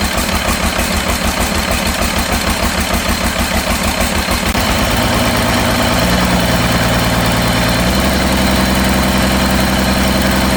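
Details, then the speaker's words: Cummins diesel in a C40 project truck, just reassembled, after the No. 6 injector was swapped. It catches and settles into a lumpy, uneven, loping idle; it still runs rough, cause unknown. "Well, unfortunately, I have worked all day tirelessly and made absolutely no progress other than I've got the smoke to quit, but it just don't run right for some reason."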